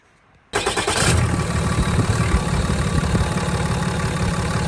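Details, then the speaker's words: Ram 6.7L Cummins diesel, about a year and 30,000 miles after a turbo rebuild, started with the engine still cold: quick crank, immediate catch and an even, steady idle with no misses or knocks; normal cold start. "See there, everything starts up good."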